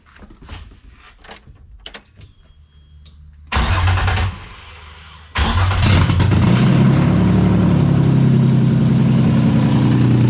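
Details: Rebuilt VQ35DE swapped into a 240sx S13, after a makeshift cap on the plenum's purge-valve port (the last issue found): fires briefly and drops out, then restarts and settles into an even, loud idle through open headers.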